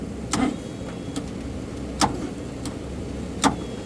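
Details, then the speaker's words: 1958 Chevrolet Biscayne straight-six parked 40+ years, previously seized: isolated heavy clunks every second and a half as starter barely turns it, no start; owner suspects weak starter or bad coil, engine still locked at hard spot. "Now you can just hear it turning. Yeah, it's gonna be something that's too weak. Either probably the starter or the coil pack shot."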